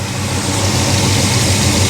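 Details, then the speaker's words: Monte Carlo after sitting, with 38° timing, idling about 850 rpm: steady even low rumble with no misses or stumbles; a clean, healthy idle. "850 RPM. It's actually mid. Does it sound good? Sounds good."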